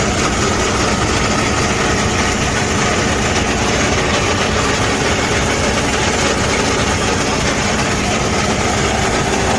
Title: Freightliner cascadia 10 speed transmission loud noise internal damage gear transmission